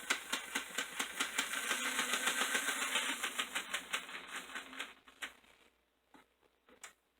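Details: Toy 460 Camelback locomotive bought on eBay, after repair, motor loosened as possibly too tight against the gears, running with the shell off: quick, even clicking from the little motor and gears that slows and dies after about five seconds. Runs, moving sluggishly without the shell's weight.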